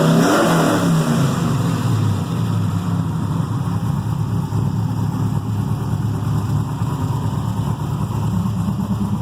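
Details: Carbureted 6.0 LS V8 with mechanical fuel pump and distributor, freshly built, heavier pistons, solidly mounted in a race car frame: strong even note drops from a blip and settles smooth and steady, no knocks or misses; normal revving.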